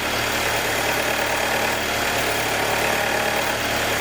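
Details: 2021 Jeep Wrangler 2.0 on every cold start: a light, quick ticking over the idle hum for about 90 seconds, until the cold air intake takes a deep breath and the engine goes normal; cause unknown.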